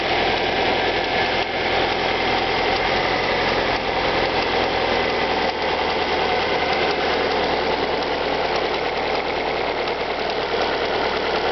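Cold idle with a light, quick ticking riding over the engine note, roughly two ticks a second; the source isn't clear yet.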